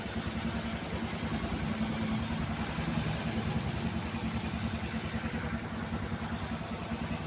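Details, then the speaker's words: Hero Passion Pro i3s single-cylinder bike after timing chain repair for a tick-tick noise: soft, steady idle with even exhaust pulses and no clatter or ticking from the top end; now silent and normal. "गाड़ी बिल्कुल okay है, कोई कटपट की आवाज़ नहीं है इस गाड़ी के अंदर, और बिल्कुल साइलेंट गाड़ी है।"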